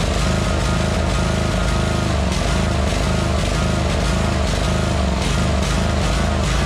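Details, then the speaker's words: 2003 Wright Stander fixed-deck mower, 23 hp Kawasaki V-twin, fuelled makeshift into the carburetor due to a leaking fuel-tank grommet: steady, even low rumble with no knocks or misses over several seconds; normal running, nothing wrong with the motor. "There ain't nothing wrong with that motor."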